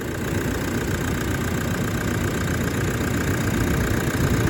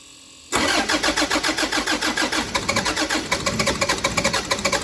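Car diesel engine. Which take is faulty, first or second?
second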